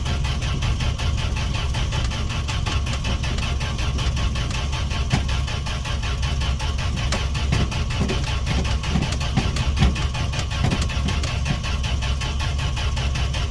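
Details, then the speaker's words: Fargo D100 (Dodge D100) pickup cold start after sitting all winter, gas down carb throat, choke on: long steady cranking that never catches; owner suspects no spark and will check spark. "should have popped off by now all right well that was a fail I'm gonna have to check for spark and whatnot"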